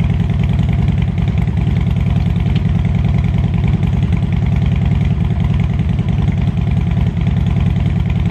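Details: Harley Road King, after an air-ride fix: deep, even loping thump at a steady cold idle just after a cold start. No knocks or rattles; running healthy.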